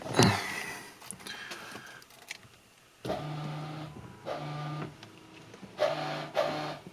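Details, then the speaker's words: Maserati Biturbo 424V 2.0 V6 windshield washer pump gives four short smooth low whirs running unloaded; pump works but delivers no fluid because the line is clogged with dirty, overgrown residue. "tiếng ồn có vẻ như nó hoạt động nhưng có thể không có chất lỏng hoặc đường ống bị tắc"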